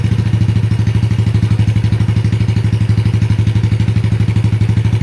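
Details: Yamaha Jupiter Z single-cylinder engine with freshly installed cylinder block and head: even, quick putter at idle with no knocks or top-end tapping; smooth running, oil reaching the head; normal idle.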